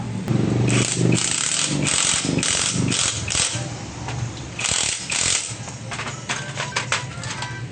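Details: Honda XRM 125 single-cylinder engine after repair of a knock by replacing a damaged camshaft and worn bearings; quick throttle blips, crisp exhaust and clean valve clatter, no deep knock beneath; normal running.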